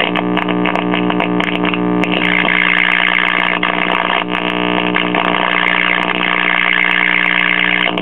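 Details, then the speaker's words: 1964 Philco AM vacuum-tube clock radio after 30-second warm-up: loud constant low hum droning under station audio, from dried-out original electrolytic filter capacitors in the power supply; fixed by replacing them. "okay as you can hear there is a couple of stations coming through but there's also a a huge amount of filter capacitor pump which is common on these old radios when the original electrolytic filter capacitors and the power supply dry out and no longer function"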